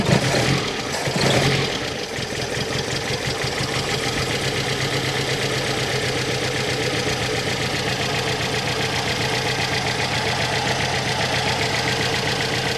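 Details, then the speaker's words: Brazilian Chevette with Solex carburetor, cold engine just after carb cleaning and idle screw adjustment: catches and holds a slightly shaky, wavering idle without stalling. "it seems like that helped the engine's still cold so it's a little shaky but it's not dying"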